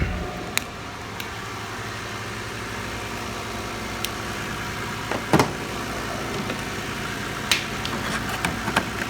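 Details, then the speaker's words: 2008 Lexus ES 350 with bad transmission, first start after sitting almost 2 years on old fuel: slight white smoke and gas smell, then smooth steady idle with no knocks or misses, only handling clicks. "Wow, I can't believe it started up. And listen to it. Vibration test. So smooth. Unbelievable."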